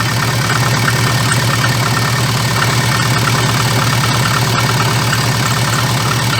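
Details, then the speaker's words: VAZ 2114 idle with fast, uneven light clatter/vibration, worst when dropping throttle after revving to 2000-3000 rpm; cause found to be a cracked, wobbling crankshaft damper pulley needing replacement. "и вот в момент когда сбрасываешь газ начинается эта вибрация вот это колбаса"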